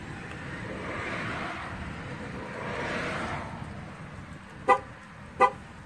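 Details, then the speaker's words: Two short horn chirps outdoors confirming a new tire's TPMS sensor has been learned using an EL-50448 OEC-T5 tool after fitting new tires. "hey every time you hear the horn chirp you've learned the new one"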